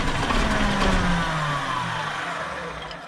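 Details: Dart bus diesel restarted after running out of fuel, air having got in again: barely catching and running slow and uneven near 600 rpm, pulses sagging and dying; air in fuel lines, unions need tightening.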